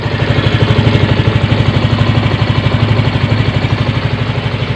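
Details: Yamaha Mio M3 125 scooter after repair of knocking engine noise (had run out of oil, connecting rod about 50% worn); steady even idle thump about two pulses per second, no top-end clatter; engine sounds healthy, improved.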